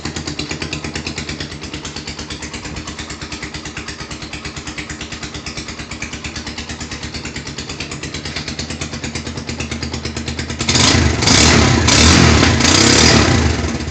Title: Knocking sound rouser 220.... Help!